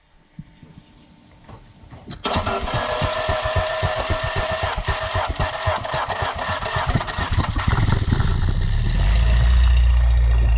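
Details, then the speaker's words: Fiat 500 MultiAir that cranked with no compression after sitting six weeks; after poking the oil-fill hole with a screwdriver while cranking, it cranks briefly, catches and runs steadily with no misses: normal start and run. "do you know [Applause] apparently it worked and this is covered in oil but there you go thanks for watching"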